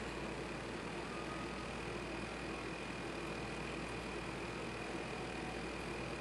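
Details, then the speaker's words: 1995 Honda CBR F3 with fuel pump relay jumped: steady hum that never cuts out; pump should stop once carb bowls fill but keeps running, taking lots of gas. "See, this will shut down once the bowls fill up. The fact that it isn't kind of bothers me because"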